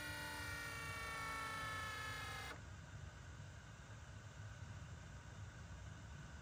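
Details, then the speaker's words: BMW E60/E63 M5/M6 SMG hydraulic pump running during an INPA-guided bleed with CHF-11S fluid: steady buzzing electric whine for about two and a half seconds, then a clean cutoff; normal pump cycling. "So you can hear the SMG pump just making noises as it's working."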